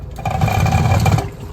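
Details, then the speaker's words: 2023 Thor Aria RV electric toilet: a low macerator motor drone swells with rattling, knocking vibration on top. The macerator is loose and not secured, which is the customer's complaint; the rest of the system works. "yeah it is the macerator is loose that's the noise that she was talking about the macerator is not secure"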